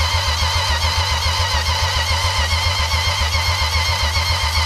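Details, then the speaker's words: 1962 Plymouth Valiant slant six automatic, long dormant, fuel system hooked up and spinning faster, spark tester fitted: steady starter churning about 3.5 pulses a second with no firing; cranks, no start. Weak vacuum not atomizing fuel suspected. "so we are going to try one last time I have a spark tester on it and it looked down there wait we're gonna give it one more shot and if it don't go this time and then we're gonna stick a fork in it because she's done"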